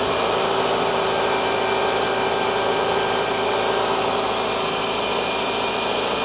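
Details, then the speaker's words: Toyota at idle on ramps, started to check for ticks: an even, steady idle with a smooth hum and no ticking or knocking, nothing leaking. Odometer about 289,126 miles, roughly 600 miles over. Check engine light on for EVAP. Normal, healthy idle. "sounds good nothing leaking so like I said 28,9 126 miles 600 mil over but you know that's fine"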